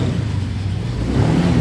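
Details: Honda Vario 150 on center stand after speed sensor cable reconnection: smooth low hum rising cleanly with throttle, no misses or rattles; engine now starts and runs normally.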